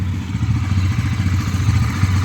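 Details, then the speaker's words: Bajaj Dominar NS400Z at about 3,000 km after its service, which fixed a loose chain knock: steady, even single-engine idle with no knocking chain. "Mas eu que tava aqui no ao vivo, eu consegui escutar a batida da corrente folgada e agora tá show de bola."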